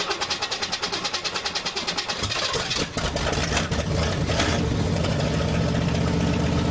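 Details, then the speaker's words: Old classic truck started cold, starter solenoid needing work: a couple of seconds of slow, labouring cranking before it catches and roars into a fast, steady idle; a hard cold start. "oh and it's cold so it's a little hard start and the driver seats wet cuz this window won't roll up"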